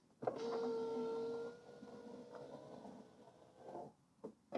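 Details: BMW E90 power window after installing a new aftermarket window regulator. The motor hums smoothly and evenly through full travel and stops cleanly with a soft thud, no grinding or clicking; healthy regulator.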